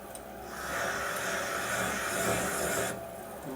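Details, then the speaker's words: Valve seat cutting on a 1988 Harley FXR cylinder head: a coarse, uneven grinding rasp for about 2.5 seconds as the cutter chatters over the seat; the cutter is sharp but thought to be taking off too much. "that does not sound good. God damn it, Keenan, you're making me nervous. Did that sound good to you? All that grinding noise?"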